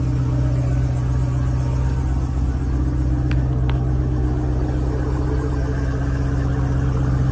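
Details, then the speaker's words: 2018 Jeep Grand Cherokee Trackhawk that was reluctant to crank, idling after start: a deep V8 rumble with an uneven, shaky pulse instead of a smooth burble. It runs kind of rough, cause unknown. "trackhawk don't want to crank there go to tracky now kind of rough"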